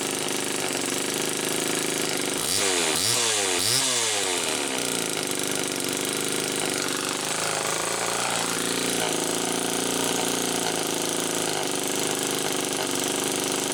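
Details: 1974 Homelite XL-2 chainsaw test run after air leak repair: two-stroke screams up through a few quick throttle pulls, then holds a steady high buzz; revs freely and runs normally, idle not quite as owner would like.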